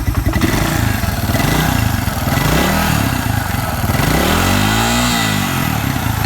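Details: Suzuki Quad Runner 250 single-cylinder, under restoration with the exhaust system refitted back to spec: pops along evenly, revs up and settles back smoothly, clean exhaust note, no rattles; running normally.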